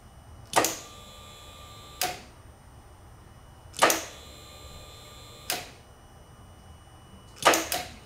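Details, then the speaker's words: 2006 Suzuki Boulevard C90T with clutch pulled: single sharp clunk each time start is pressed, no cranking, sometimes starts after repeated tries; cured by replacing the starter solenoid relay, starter itself fine. "I got a 2006 Suzuki Boulevard c9 DT and I'm having a single clunk noise when I go with the start the bike"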